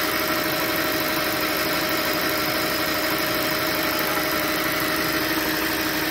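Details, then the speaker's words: 2007 Audi S8, about 73,000 miles, cold start after a month unused: a smooth idle with a high-pitched air pump noise in the background and normal injector ticking, quieting slightly; no abnormal noise. "Other than that, I don't hear anything besides the normal injector noise. Quieted down just a little bit, but not much. Sounds more like just from the idle."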